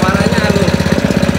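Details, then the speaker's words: Spice/meat grinder about 17 years old, just fitted with a new grinding stone (the old one had cracked thin), previously very noisy from a worn bearing: quick, even thumping about twenty beats a second with no grinding or rattle; now running smoothly. "Nah kita akan coba nih pemirsa nih tadinya kan berisik banget jadi lakernya lakernya udah kena terus E itunya k tu halus suaranya"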